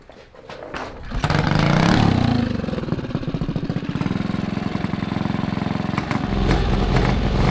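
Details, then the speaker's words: 228cc Tillotson stroker racing engine (about 23–24 hp) on a Monster Moto mini bike, running on the small test carburetor; coil possibly already burned. It catches after a second and settles into an even, steady beat with no stumbling or breaking up. Normal running. "I don't hear any breaking up at all. I think we've got it."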